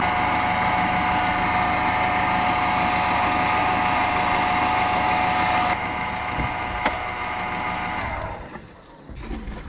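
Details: Audi A2 1.4 petrol engine running, listening tool on alternator: steady high buzzing hum, loud close up then fading; noisy worn alternator bearing.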